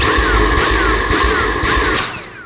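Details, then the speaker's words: Dyson V8 Absolute cordless vacuum with suction deliberately blocked: motor pitch surges and sags about twice a second before winding down; pulsating warning of reduced airflow from a blockage in nozzle or tube or a dirty filter. "now that pulsating noise is a little warning for you now it's pulsating because I blocked off the suction so it's reducing the airflow through the cleaner if you hear your Dyson cordless making this noise"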